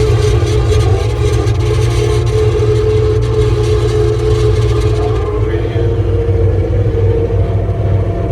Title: ASV VT-70 Noise when turning to the left